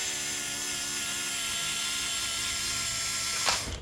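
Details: 1987 Acura Integra with K24A2 engine and 6-speed manual swap, first fuel pump test on newly fused power, key on: steady high-pitched electric whir holds several seconds then cuts off, fuel pump priming normally, no leaks seen.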